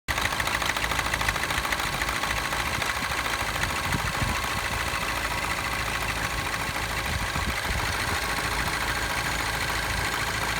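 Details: Citroen DS3 DSport 1.6 THP turbo petrol idling with a fast, busy metallic timing chain rattle; tensioner failed again within 8000 miles.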